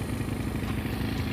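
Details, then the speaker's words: Honda Beat carb-type scooter set up as 150cc with 2mm alloy base gasket and manual tensioner, first fire after rebuild, not yet tuned: small engine chugging unevenly with ragged beat; rough running pending adjustment. "Medyo hindi pa siya toner rito. Importing adjustment pa akong ginawa."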